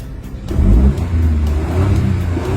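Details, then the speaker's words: Car that wouldn't start despite new throttle valve and checked plugs and coils, after repair: starts and revs cleanly, strong and even with steady deep note, no misfire; normal revving, problem solved. "the power is very strong the problem has been completely solved"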